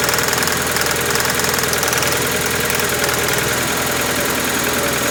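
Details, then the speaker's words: Proton Wira cold start after plug lead repair and old fuel drained, still misfiring: uneven idle with stumbling irregular chuff about three times a second, black fumes; one cylinder missing from open-circuit plug lead. "Still missing. Oh, that kicked out some black fumes."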